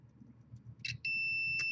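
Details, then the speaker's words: Cable modem-router combo opened after a lightning surge killed connected PS4s: a click, then a steady unbroken multimeter beep showing continuity between two data lines; it is unclear whether that is expected or a surge-caused short. "this is where we have continuity between these two data lines and I don't know if that's supposed to be the case"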